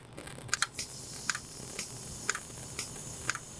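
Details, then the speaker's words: VW B5.5 Passat with P0411/P0491 secondary air injection codes, secondary air inlet valve activated in output diagnostic test mode. Crisp single clicks about once a second show the valve gets power and ground from the ECM and switches. "I don't know if you can hear that, but that is telling me that the secondary air inlet valve is at least getting power and ground from the ECM."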